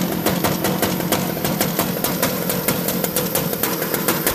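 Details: Mini Rok kart engine, previously hard starting, at first startup after replacing the ring gear and Bendix starter gear. Crisp, rapid, even firing at a steady fast idle with no misses: normal running.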